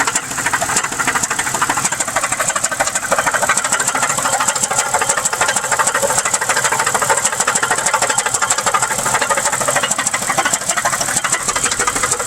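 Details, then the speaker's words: 2001 Pontiac Grand Prix GTP supercharged, sat a year, started with a jump: harsh fast uneven knocking at idle, about three knocks a second, with smoke from oil cap; bad piston, needs new engine; won't idle with supercharger belt on. "ng the back window it won't even idle if you put the supercharger belt on that's how screwed up this is yeah it's the smoke coming out of the oil cap there's a bad piston in there man it needs a new engine but it still starts"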